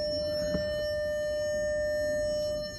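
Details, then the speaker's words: Salvage 2003 Porsche Cayenne S, crashed, with jumper cables connected to a battery: steady electronic beep lasting about three seconds, no starter or cranking; no crank, though the car started when delivered, cause unknown. "all right so i hooked up the jumper cables here to the little thing here and uh it's just going beep nothing's happening though"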